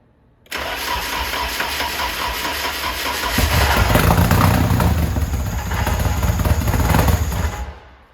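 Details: S13 drift hatch first start after harness install, cooling system not yet fitted: brief crank, catches and settles into steady, even idle with firm low rumble; healthy start.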